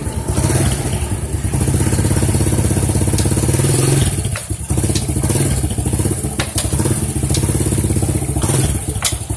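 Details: Honda C-series single-cylinder motorcycle running after clutch-side service: a steady, clean thump with no rattle or clatter from the clutch side. The clutch noise is fixed.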